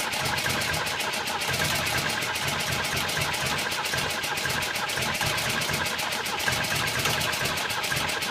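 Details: B18 engine, cold compression around 11-12, spark and fuel present: fast, even starter cranking pulses with no catch or rev-up; turns over but won't start.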